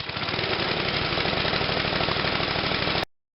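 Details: MTD snowblower after the clogged carburetor needle valve was disassembled and cleaned to fix a fuel delivery problem (spark already confirmed): steady, even pulsing beat at a brisk speed, no misses or surging; running smoothly and healthy.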